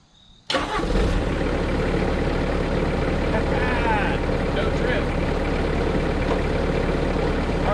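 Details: Bobcat S185 skid steer diesel after adjusting the control bracket: catches instantly and settles into steady, even idle with no hunting or stumble; normal start and idle.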